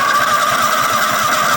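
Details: Toro Wheel Horse 266-H mower with a 26 hp Kohler V-twin and 475 hours, cranked without fuel on first battery hookup: quick, even starter chugging for about 1.5 seconds. Sounds healthy. Normal starter cranking.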